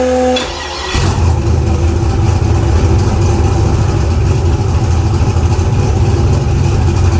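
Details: Car "Fancy" after a 6.2 LS swap replacing a 406 SBC with an out-of-balance Scat crank: fires and settles at once into a steady, even V8 idle with no misfires, knocks or hunting.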